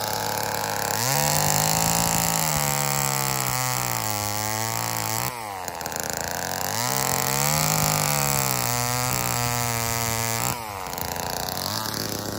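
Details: Old Homelite chainsaw, owner guesses 1960s or 70s, cutting wood after reassembly: two-stroke screams up, bogs and pulls evenly as it bites, recovering cleanly each cut; running strong, though owner says it could be tuned better.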